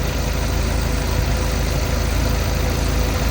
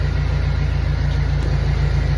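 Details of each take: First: Warm Jeep petrol engine idling a couple of minutes after an engine restorer additive was poured into the oil to cure a ticking noise: a steady low rumble with no ticking audible. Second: Warmed-up Jeep Wrangler engine at idle before adding an engine-restore additive: steady, fast light ticking over the low rumble; owner hopes the additive quiets it.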